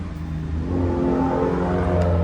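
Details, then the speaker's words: Honda S2000 after DIY rod bearing and valve adjustment, done to cure a faint intermittent tick/rattle: clean, smooth rev with even tone, no knocking or clatter, fans heard running; healthy revving. "The fans turn on, as you can hear. Everything's working well."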